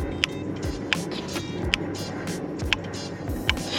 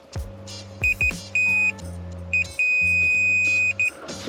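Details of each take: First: Mercedes SL with non-working rear window heater: crisp single clicks about once a second from the defroster relay as the rear defrost button is pressed, with voltage reaching the rear window; relay switching. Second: Mercedes SL rear window heater not working, multimeter continuity test on the heater element wiring at the negative side; short beeps then a long steady beep; circuit conducts.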